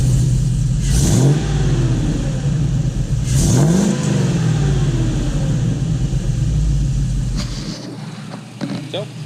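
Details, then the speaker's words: LS-swapped squarebody service truck, cold start with new exhaust and O2 sensors installed, after a timing fix for knock: V8 burbles at a steady idle, then two clean throttle blips rise and fall smoothly before shutdown. Healthy. "you have it sounds pretty slick to me I don't know how well the sound quality is going to come through on the camera but sounds good to me"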